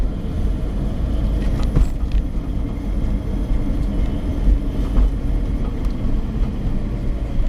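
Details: Suzuki APV automatic, 67,000 km: a steady low hum under road rumble when driven above 50 km/h; owner thinks it comes from the automatic transmission assembly, not confirmed.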